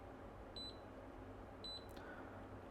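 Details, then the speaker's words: Kaiweets KM601 multimeter in diode mode, red probe on ground, black probe on pins, reading 3.331: two short clean high-pitched beeps about a second apart in a quiet room; diode-test beeper working normally. "and then black probe is where you touch different pins so this one gives me 3.331 in that mode and you'll actually hear it beeps hear that"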